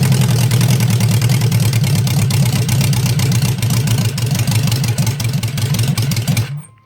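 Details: Honda CB550 go-kart engine running way too rich with gas smoke; deep lumpy uneven idle loses rhythm and the engine dies. Owner suspects carburetor float level or jet size; cause not confirmed.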